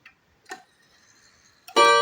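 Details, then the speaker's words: Seiko Japanese 30-day wall clock, hands turned to one o'clock: a few faint ticks, then one clear ringing bell strike that slowly decays, the normal single stroke at one, the same as the half-hour strike. "Nah, jadi bunyi sekali juga guys ya. Jadi harus diperhatiin guys ya kalau jam 1 ya."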